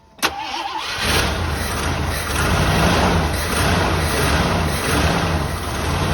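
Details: 1984 Jeep Wagoneer, carbureted engine, cranked after the choke high idle was knocked off. Brief crank, then catches and settles into a steady, low, even idle with no misses or knocks; starts and runs normally.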